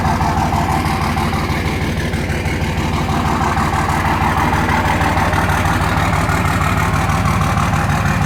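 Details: 2004 Dodge Ram 5.9 Cummins after a ten-minute warm-up, bad injectors suspected: steady diesel idle with a hard, even clatter near three beats a second and a slightly uneven lope; the rough knock's cause is unconfirmed.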